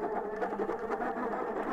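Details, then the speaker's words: MokWheel Mesa ST Plus fat-tire e-bike, 1000 W motor, full throttle on assist level 5: rough, gritty whirring grinding under load; rider suspects a misaligned bearing or bushings in the motor. "and that noise is just really getting to me just feels like there's something wrong in the motor it's like the the bearing wasn't aligned right or they use bushings instead of bearings"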